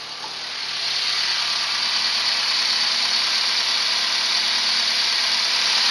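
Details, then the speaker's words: Renault 11 TXE at idle after the timing belt (distribution) was correctly replaced: an even, steady idle that now holds better, with no misses, though there is still an exhaust leak. It sounds healthy. "Parce que moi niveau bruit, j'entends pas la différence mais elle tourne mieux quand même. Elle tient mieux le ralenti. Donc ça ça sûrement fait quelque chose de changer la distribution correctement."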